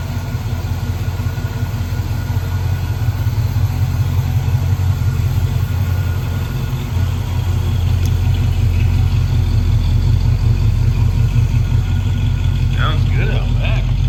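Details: 1970 Pontiac Catalina V8 convertible, running again after an engine fire and rewiring: smooth, even idle rumble that picks up slightly partway through, no misses, taps or knocks; normal healthy idle.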